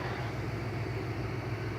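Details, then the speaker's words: '66 Ford Falcon V8 with shorty Hedman headers idling very quietly, a steady low hum with light rapid valve ticking because the valve lash was never adjusted. "It's so quiet you can barely hear it running. The only thing you can hear is the valves ticking around, because he's never gotten around to"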